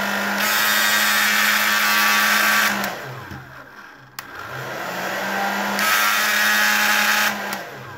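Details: OK-brand hair dryer that makes strange noises, switched on twice before disassembly: loud rushing air with a low hum and a rough edge, then spinning down; fan rubbing on housing.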